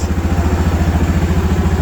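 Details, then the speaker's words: Suzuki DR650 single-cylinder first start after an engine rebuild: even, steady idle thump, quiet, with the earlier gearbox noise gone and oil pressure present. "Now that sounds sweet as. All that gearbox noise I had before is all gone. That just runs so nice,"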